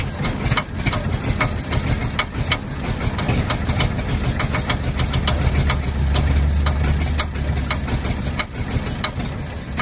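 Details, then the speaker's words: 1948 Ford F-5 ex-ice truck run after about 45 years idles rough and uneven, with irregular knocks over a low loping rumble; power is weak despite a known-good carburetor (three tried), and once warm or revved it loses compression and dies under clutch load. "it just doesn't seem to have enough power left in it and once it warms up any or you rev it up any basically it loses its compression and loses all of its power"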